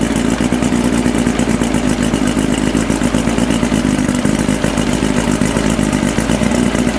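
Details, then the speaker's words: 1992 Mercury Classic 40 HP two-stroke outboard, replacement block, new head, compression 132-135, first start: rattly buzz, choppy uneven beat, stumbles as throttle opens, struggles to rev; owner suspects carburetor adjustments. "comme on peut voir il y a de la misère un petit peu à monter en régime c'est probablement les ajustements de carburateur"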